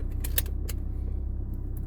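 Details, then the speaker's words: 2006 Chrysler PT Cruiser 2.4L Turbo after spark plug change, in reverse; low pulsing idle, slightly uneven beat with light clicks, running a bit rough with vibration, no misfire or engine light; vacuum tube suspected. "so we're gonna throw it into reverse and see what happens this sounds a little rough"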